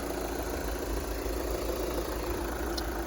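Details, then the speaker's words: 2013 VW Jetta Sportwagen TDI diesel, 180,000 miles, after a fuel filter change: even idle with a steady low clatter and no misses or surging; running smoothly. "but yeah she's up and running ready for uh some more service"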